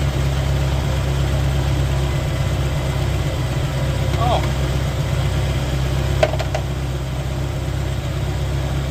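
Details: 1985 Mercury Marquis police interceptor 351 Windsor V8 with aftermarket cam, mufflers, timing 12° base/36° max: steady, even low idle rumble, no ticks, knocks or misses; cam not very lopey, slight blow-by; normal idle.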